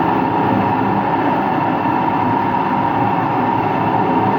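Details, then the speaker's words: Washing machine on an empty rinse-and-spin cycle: empty drum spins up with constant deep rumbling roar and steady hum on top; owner suspects both motor and drum bearings, no leak seen; loud rumbling roar during spin. "I actually think it's both bearings. I think it's both the motor bearing and the drum bearing that makes noise."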